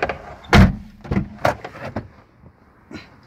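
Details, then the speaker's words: Door hinge on a ZAZ Chance squeaks loudly: a few short dry creaky groans with thumps as the door swings and shuts; cleaning and working the hinge with throttle body cleaner stops the squeak. "Слышно, да? То есть вот этот у нас очень скрипит."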